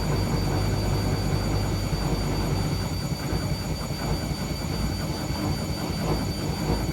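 A loud, steady roar heavy in the low end during the spin, with no clear knock rhythm; a roaring spin fault, cause unknown.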